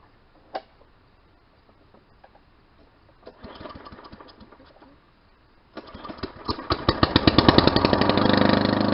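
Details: Push mower after an engine swap, first start, primed five times, no muffler fitted: a few pulls, then it catches and climbs into a loud, crisp, even popping beat; running normally.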